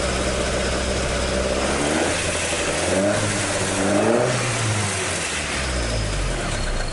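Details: Toyota AE86 with 4A-G engine after an exhaust leak repair, stock exhaust note restored: clean, even idle sweeping smoothly up through a few revs and settling back, no puffing or ticking; exhaust sealed and healthy.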